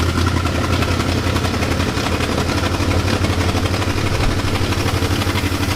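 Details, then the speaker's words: 1966 Continental, unregistered about 9 years, just started and not yet warm. Rough, lumpy V8 idle with a quick puffing tick on each firing pulse, after a backfire; exhaust leak at the front of the engine. "Smoke coming out of the tailpipes though, that's good. There is an exhaust leak up front."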